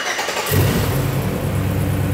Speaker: beautiful. No noise whatsoever. We are good.